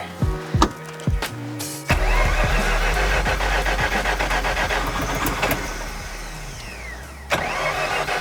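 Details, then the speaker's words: Long-stored Mazda RX-7 rotary on its first fire-up, on 94-octane fuel with premix, jump-started from a Milwaukee battery: rough cranking, then an uneven, lumpy, pulsing idle; running on only one rotor, cause not determined. "As long as you're aware, it's only on one rotor. Do we determine why it's only on one rotor?"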